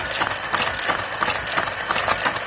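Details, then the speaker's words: Serviced motor-driven knitting machine carriage (motor replaced with a known-good used one, row counter replaced) tested without a pattern card: steady even whirr with light regular ticking at the turnaround, no catches; smooth, healthy turnaround. "oh that was smooth what I've done is taken the card out so that it's a different knitting pattern from using a pattern"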